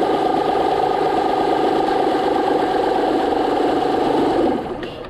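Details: 2009 Honda Pilot 3.5L V6 after replacing the failed hydraulic timing belt tensioner: a steady, even idle with a smooth hum and no ticking, knocking or rattle. The tensioner plunger no longer moves in and out.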